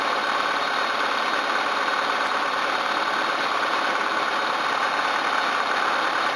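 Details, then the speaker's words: Camry or Hyundai engine after reassembly and coolant top-up, warmed and settling; even quiet idle with soft steady hum and hiss, no ticking or missing, running well with no sign of head damage. "settle down oh it's good it's running well and doesn't show any signs of head trauma"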